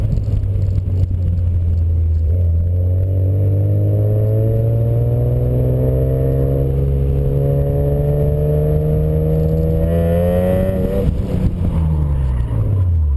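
Engine held at a slowly rising rev then dropping back, note a little uneven and stumbling throughout; sounds like a misfire, cause unknown.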